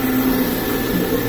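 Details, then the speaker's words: Home-built oil-burning furnace just after ignition, burn chamber warming: steady, even roar with a low hum underneath and no sputter or pulsing, the tone changing as it lit; burner running cleanly. "So, but it's running right now. You can hear the tone get different when it ignited, so"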